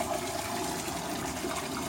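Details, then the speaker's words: Current Eflux DC return pump in DIY aquarium sump, just dropped in, not yet plumbed, on wet test: only steady rushing, splashing water, no pump hum or vibration; quiet healthy pump. "This pump is really quiet. I mean, I don't hear the pump at all. All I hear is the water."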